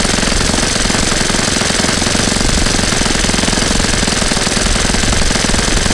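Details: Saito FA-100 glow four-stroke after rebuild (new bearings, gasket set, tappets; exhaust tappet was mushroomed), APC 14x6 prop, Omega 10% fuel, OS F plug: loud, steady high-rev buzz at one speed, with no misses, surging or knocking; healthy.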